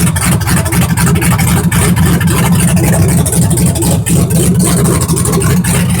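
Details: Truck after injector install: loud raw V8 bark with a fast steady pulse and no muffling, running evenly with no exhaust fitted; owner says it sounded good.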